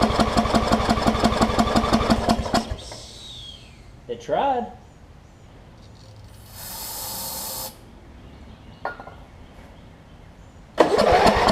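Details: Wizard (Craftsman) riding mower with a worn-out old carb and a hit-and-miss starter solenoid: even cranking near three turns a second stops after seconds without firing, then carb cleaner hisses; no start; suspected fouled plug or sheared flywheel key.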